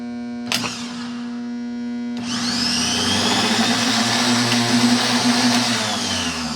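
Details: Starter on a buggy that sat outside for years, tested directly: after a clunk it spins up to a steady high whir with no grinding or stutter; starter is good, weak battery cranking amps suspected.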